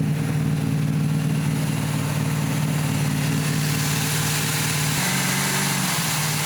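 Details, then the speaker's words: 1990 Cobalt boat engine running rich: low, lumpy idle with uneven beat and wandering pitch, smoking heavily. "this thing was just grossly overfueling that was my problem"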